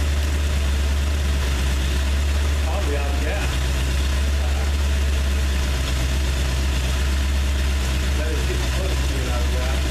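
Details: Freshly rebuilt 302 V8 first start after oil change; deep steady idle with even low rumble, no rattling, knocking or smoking, running smoothly.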